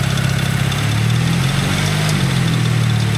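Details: One of two BMWs bought sight unseen, heard in the cold from under the oil pan: a steady cold idle with a faint, uneven deep knock about three to four times a second. A bottom-end knock at idle.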